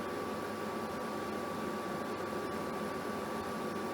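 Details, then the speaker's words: Germanica portable induction cooker at full power (LEDs show maximum, stated 200 W; meter reads about 1784) heating water toward a hard boil: steady high-pitched coil whine over gentle fan hiss, no buzzing or crackle; normal induction coil hum. "so you can hear the coil straight away it is cranked all the way up to 200 W as you can see there by the LEDs"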